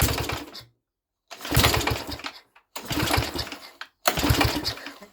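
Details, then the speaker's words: Mini tractor's small single-cylinder engine on choke, first start in 13 years; it catches in short, choppy bursts of about a second between pauses and fires cleanly each time. "because did you hear how nice that was running? That was running really well."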